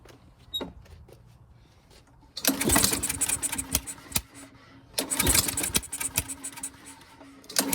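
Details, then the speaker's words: Honda push mower, no start, fresh fuel: two bursts of cord-pull cranking with sharp spitting pops but no catch; a dented valve cover presses the rocker arm, holding the intake valve open. "see his valve cover see how it's dented in well he put this in a truck and he transported a few times and said hit something bent in the valve cover"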